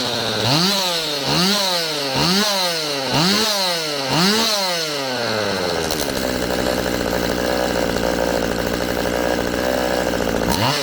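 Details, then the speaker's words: Stihl MS192TC chainsaw after cleaning clogged muffler/spark screen: five quick clean blips about once a second then steady high rev without bogging; bogging fixed. "okay i'll call that fixed"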